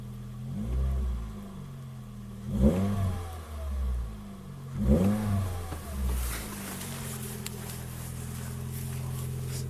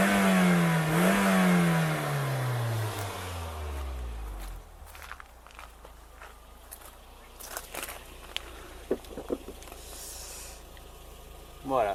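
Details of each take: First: First-generation Toyota Yaris 1.5 TS: after a sudden bang while driving, a raspy, blatty rally-like exhaust note swelling under throttle, worst on acceleration and above 80–90 km/h; blown rear silencer leaking exhaust. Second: Toyota Yaris first generation 1.5 TS after rear silencer repair with clamps and aluminium adhesive tape; throttle blip falls away cleanly, smooth even exhaust, no more rally-like noise heard after the earlier bang; normal exhaust note.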